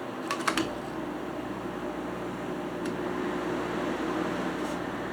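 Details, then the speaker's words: Hampton Bay 5050 BTU window air conditioner on low cool with compressor running: a few clicks then low even fan hum and steady airflow, slight plastic rattle; normal quiet running. "so you can hear here it's very quiet when I'm holding this look at that here the compressor here"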